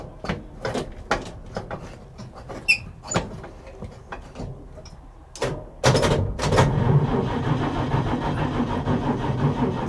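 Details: 1950s Chevy coupe at a salvage auction, drained battery, choke pulled and gas pumped: after some clunks the starter grinds over slowly and the engine never fires; needs a boost, cause not confirmed.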